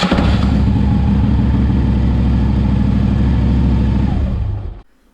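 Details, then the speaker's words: 2009 Harley-Davidson Street Glide cranking for about four seconds with heavy, rough, clunky chugging as the starter grinds; suspected worn starter drive bearings or bushings, before starter removal and flywheel inspection. "what's happening is when he goes to start the engine the starter motor is making a grinding noise let me show you what it sounds like when it starts"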